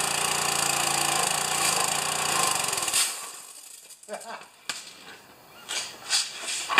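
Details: Pressure washer engine run for the first time since last year, unloader working: small engine buzzes at a steady, even rate for a few seconds before shutting off, no misses or knocks; runs good.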